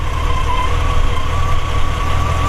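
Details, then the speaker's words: 1940 Ford Deluxe Woody Wagon: a deep, steady idle around 600-700 rpm with a gentle rhythmic lope from a mild cam; a smooth, normal idle. "Starts right up, purrs like a kid, mild cam like we talked about."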